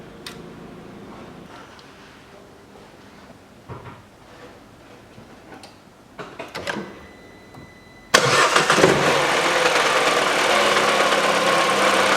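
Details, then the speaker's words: 2012 Peugeot 408 1.6 petrol automatic, FWD, 87,000 km, cold idle: loud regular tapping about four per second from the wobbling drive belt tensioner roller. The stretched belt lets the tensioner travel about 7 mm to its stop. Fixed with a new Dayco 6PK900 belt. "запускаю двигатель поднимаю и смотрим как все это гуляет и как это все стучит откуда именно идет стук"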